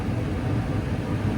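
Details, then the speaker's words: Attic gas furnace: the owner says the gas valve's ignition timing is a little off, so it lights late. A heavy wire bundle weighing on the control board was the fault. Steady, even low roar once lit, no sputter or cutout; burner holding normally. "Okay, now the timing for this gas valve that I got is a little off, but right at the end it should light. There it goes. Boom!"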